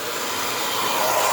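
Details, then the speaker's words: Hair dryer after cleaning and reassembly, heat and cold settings tested: smooth constant airy rush with steady fan tone, no rattle or scraping; earlier strange noise gone, running normally. "Barulho razoável. Aqui atrás ele puxa o vento, não pode nunca ser tapado."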